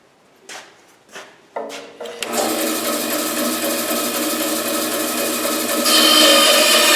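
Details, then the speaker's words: Small bandsaw with new tires and lower wheel re-secured (was loose on its shaft, wobbling): cutting a curved test line, even steady hiss, no thumping or wobble; cuts normally. "I don't see if I can cut a curvy line here with these new tires and that new connection online wheel okay here we go"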